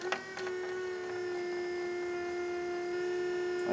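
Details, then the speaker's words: Toyota MR2 with rebuilt oil pump, key at accessory, engine not yet cranked: steady mid-pitched electric whine from the front of the car; owner suspects the power steering pump. "I don't know what that noise is, but if it doesn't stop, I'm going to be concerned. So the noise is coming from the front of the car. I suspect it's the power steering pump."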